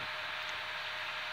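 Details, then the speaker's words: CPU cooler fan in an older, rarely dusted computer making a lot of noise: loud constant rushing whoosh with faint steady tone, fan straining against dust buildup on the heatsink, before cleaning and re-applying thermal paste. "it's making a lot of noise as you can see this is an older older computer and I haven't really dusted it very much but there's a lot of dust buildup on the heatsink itself which is probably why it's conducting a lot of heat"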